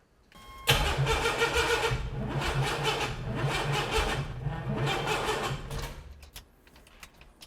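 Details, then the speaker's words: Junkyard 4.3 V6 turbo in an AWD S10 pickup, freshly cammed and ring-gapped, on first start attempt: steady cranking about three turns a second that never catches, fuel smell; ignition timing likely 180 degrees out. "okay you may be 180 out I can smell that fuel"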